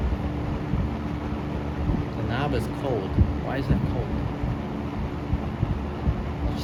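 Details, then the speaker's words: Mid-to-late-1970s Toastmaster 7324 box fan, 2.2 A motor, tested after restoration: steady, even motor hum with strong rushing airflow and no rattle or scrape; runs smoothly and healthy. "sounds good now there's a there's a plus"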